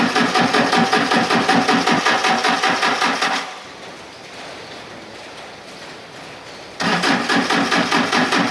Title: Hard starting yanmar Engine 4TNE98, Need Injection Pump Calibration